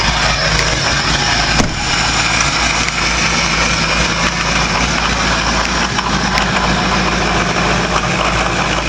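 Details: Ford 6.0 Powerstroke diesel cold start without block heater, after waiting for the glow plug cycle: loud, steady clatter settling into an even idle with no misses or knocks; normal cold start idle.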